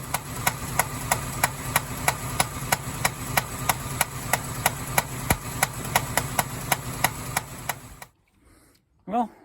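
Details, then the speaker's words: Engine that owner struggled to get running, at first start: sharp tinny metallic tick about three times a second over idle, then shut off; owner thinks too tinny for a rod, not heard at valve covers; source unknown, temporary electric gauge being wired. "so when I first started it and the noise you just heard um it sounded too tinny to me to be a rod but I like listen to the valve covers and I couldn't hear it in the valve cover"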